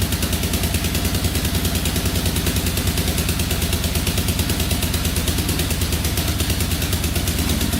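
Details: 2004 Yamaha Raptor 660 quad, after carburetor refit, cleaned tank, fresh fuel, new fuel line, straightened exhaust and an added quart of oil: steady even single-cylinder putter with smooth low thump, no misses, not smoking, idling perfectly.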